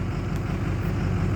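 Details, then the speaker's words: 2006 Ford F250 Super Duty 6.0 Power Stroke diesel revved after bogging; deep uneven lumpy rumble, running rough under throttle. "no it's bogging down okay one more rev up you can see how rough it's running"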